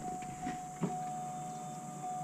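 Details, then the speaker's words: Electric fuel pump module humming steadily in a 1993 Cadillac Allante restarted after 20 years sitting; engine cranks but won't start, pump confirmed kicking on, fuel pressure to be tested next. "It spins over and it's it spins over and uh you can hear the actual pump module like the pump humming."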